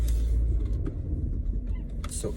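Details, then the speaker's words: BMW M240i driven over a bumpy dirt road after a rear suspension piece was straightened and WD-40 was sprayed on the rubber parts. Only low road rumble, with no squeak or knock from the rear. Suspension now quiet. "i'm dropping in the bumps all of that and it sounds there's nothing so it's silent"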